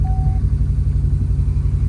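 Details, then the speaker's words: Subaru Impreza GC8 after replacing the faulty starter that caused the no-start: a brief starter whir, then the engine catches first try and settles into a steady, even low idle with no knocks or misses. "perfect bro start up first try absolute first try"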